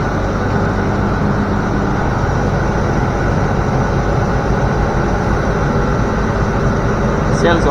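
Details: Land Rover Discovery 3/4 air suspension compressor (eBay replacement) bench-tested before install: steady low motor drone with an even buzz, no knocking or labouring; compressor runs fine.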